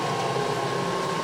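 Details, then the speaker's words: Clausing 2276 20-inch drill press, not yet lubricated, on a rotary phase converter, turned down to 150 RPM spindle speed: a thin, steady high squeal over the quiet motor hum; squeaky drive belt at low speed. "takes a little bit of, got a little squeaky belt there, but, so that's way down to 150 RPM, minus my squeak."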